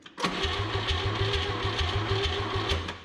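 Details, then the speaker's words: 1959 Chevrolet Biscayne with the 235 six, unrun for about 40 years, cranked without choke at wide-open throttle, spark confirmed: steady cranking at about five beats a second and no firing. Flooding is suspected; compression is low. "Probably flooded. Without choke, wide open. Double checking spark. Still got spark."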